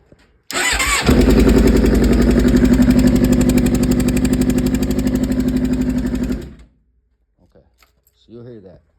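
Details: 2007 Suzuki GSX-R 600 at 67,000 starting and idling with a steady, rhythmic puffing like an exhaust leak that persisted after new exhaust gaskets; the cause is a loose spark plug, shown by a coil sitting unevenly.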